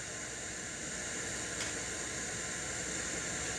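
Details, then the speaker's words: Crate CA series acoustic amp, gains at 0, master at 3 o'clock, reverb return maxed: steady, bright hiss with no rhythm or change; reverb return shows the white noise syndrome, aging DSP chips suspected. "And you can see that, or hear, that reverb return has the white noise syndrome."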